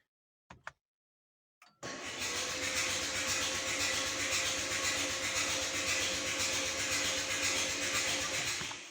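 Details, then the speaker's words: Rebuilt Renault 1.9 diesel cranked before first start with the injectors removed, oil filled and fuel primed: a few clicks, then a fast, even starter whirr with no compression pulses. "i są tutaj bardzo łatwo dostępne więc 4 chcę wykręcone nie będzie miał kompresji będzie łatwo nam przerzucał"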